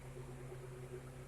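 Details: Car AC with compressor relay pulled for testing: quiet steady blower hum only, no compressor click or load change, gauge needle not moving; air blows but not cold; AC compressor not engaging.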